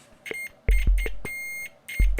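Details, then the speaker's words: UNI-T UT33D multimeter on continuity setting after 9V battery replacement with Amazon Basics battery; five short, loud, slightly raspy beeps near 2 kHz as probes touch, buzzer working properly. "as you can see the beep is very loud and crunchy"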